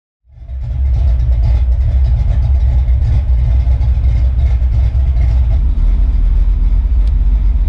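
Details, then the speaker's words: Foxbody first startup after cam install, timing not yet set, vacuum line broken: engine catches and settles into a deep, loping, choppy idle with uneven pulses. Big cam lope plus a small vacuum leak. "well she will so but we just got it running time is not set yet we do have a little vacuum leak you broke the vacuum line but all in all she is running as you can hear"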